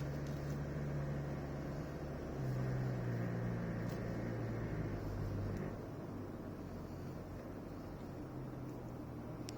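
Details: 2016 Toyota Prado VX: low engine drone swells under acceleration with a loose rattle that stops when the pedal is released, feels like something loose under the hood.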